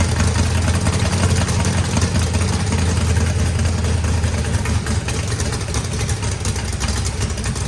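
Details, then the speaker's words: Freshly built turbocharged 409ci small-block Chevy V8 with added compression, holding a deep, loud, lumpy idle; good oil and fuel pressure after adjustment, running fine. "Sounds good. Motor sounds pretty rowdy. Had good oil pressure, fuel pressure."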